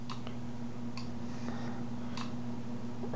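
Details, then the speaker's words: MEC AutoMate run on reduced line voltage, below about 40 volts: relay chattering with irregular clicks over a steady hum while the motor does not run, not enough supply voltage. "let's see if we go a little bit lower yet we'll get to a point where it won't operate at all which is kind of where we're at now i hear the relay clicking"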